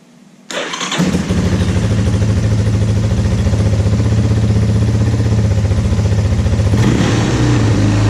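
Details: 2001 Yamaha Warrior 350 quad, bought without hearing it run, started after a stator replacement, with spark confirmed and oil added; it cranks briefly, catches within a second and settles into a steady single-cylinder thump with no misses or knocks.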